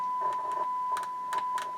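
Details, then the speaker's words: Marantz 2250B 1970s receiver, 1 kHz test tone into auxiliary: bass, mid and treble tone pots still scratchy after cleaning and DeoxIT, crackle at ends of travel, especially midrange; may need recleaning; amplifier otherwise fine. "even though i clean these base mid treble pots they're still scratchy"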